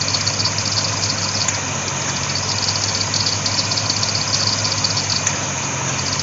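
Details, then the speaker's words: C4 Corvette A/C converted from R12 to R134a, compressor starting on a nearly empty system while charging: harsh uneven rattle about three times a second over the running engine, like a box of rocks; rattling on start-up. "that compressor sounded like a box of rocks when it first started up"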